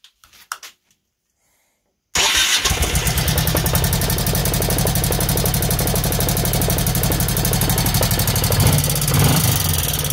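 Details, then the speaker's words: Honda Shadow 1100 V-twin idling after fresh oil change: busy regular tapping clatter over lumpy beat; pretty bad valve tapping up top plus clutch basket rattle, the basket free-floating and flopping. "It's still got that pretty bad valve tapping up top, but that's not really harmful, and I can do that some other time."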